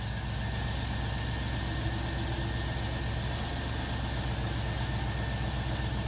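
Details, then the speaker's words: 2007 GMC Yukon Denali 6.2L LS L92, Whipple W140ax supercharged 650HP, Kooks headers, Corsa exhaust, after new NGK iridium plugs and Accel wires: steady even idle, smooth low rumble, no misfire or ticking; runs healthy. "All right, now that all the plugs are changed and the new wires in place, let's go ahead and start it up."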